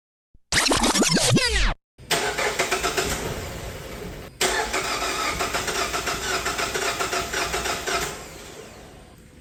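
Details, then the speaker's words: 2021 Mazda CX-5 2.5L, check engine light on, after a DIY spark plug and coil replacement: starter whirs, engine churns unevenly without catching; no start caused by ignition coil connectors swapped between two cylinders. "This car just got towed in to me and it has what I call a crank but no start condition. You could crank the car to to to to to to. It'll eventually try to start, but it just doesn't."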